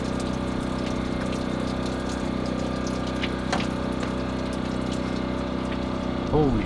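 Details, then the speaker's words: 1941 Dodge coupe hot rod with Mopar 440 big-block V8: steady idle hum with faint watery rushing as coolant leaks from blown freeze plug at back of block behind exhaust manifold; blown freeze plug. "yeah something leaking big time we got a blown Frost blood okay turn off the blue button"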